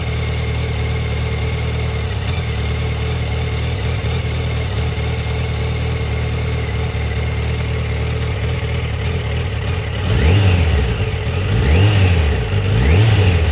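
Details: Yamaha FZ1 rough, lumpy idle and jerky stutter at low rpm, only when warm; the fault went away for a week or two and then returned about a month later. Coils were checked cold and were in spec; spark plugs are about 6000 km and 2 years old. Cause unknown.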